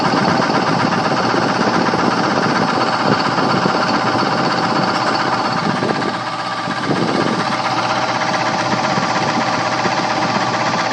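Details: Two-speed blower motor on high speed with a loud rough rumbling whir and rattling knock; bad bearing confirmed, motor replaced.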